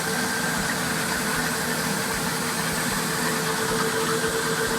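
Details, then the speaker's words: 2002 Formula 37PC twin boat engines idling, heard with the lazarette open: a steady, even hum with a faint constant tone on top, no knocks or stumbles; smooth running. "the engines running with the lazarette open you hear them i'm sure they're quite quiet once everything's closed up they're very smooth engines"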